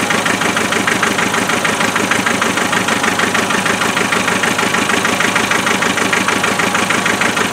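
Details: 2.5 diesel started cold after a little glow plug, idling with a rhythmic lumpy clatter of uneven beats. Misfire is always on number three cylinder even after swapping injectors, and a thermal imaging camera on the manifold gave clues.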